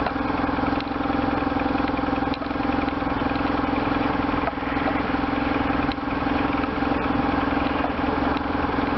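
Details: Restored 1998 BMW R1100RT boxer twin, freshly started for the first time after restoration, throttle bodies not yet tuned: even, steady idle with a regular lumpy beat and no knocks or rattles; runs cleanly.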